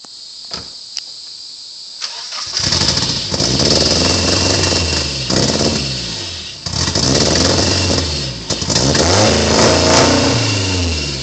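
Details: Nissan KA24DE dual-cam swapped in place of single-cam engine, firing up and revving raggedly with raspy exhaust puffing; timing not yet set correctly and exhaust not fully bolted on.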